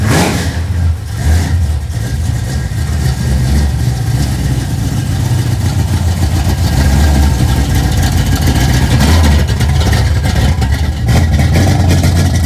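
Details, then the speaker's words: 1968 Dodge Dart GTS pro-street V8 on its first cold start of the season after winter storage: uneven, loping, slightly stumbling idle. Owner calls it cold-blooded and suspects carburetor issues, with the engine possibly flooding; unconfirmed. "as i said she's a cold-blooded pig may have some carburetor issues i'm not sure it felt like it was flooding out a little bit"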